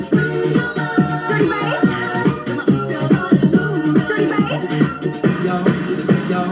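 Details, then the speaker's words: Powered speaker with blinking LED and strange noise, after replacing visibly blown output stage: music plays loud and clean with steady beats, no crackle, buzz or dropout; earlier noise gone, normal playback. "a gente viu que não tem barulho pelo menos a gente não fez aquele barulho lá que tava fazendo"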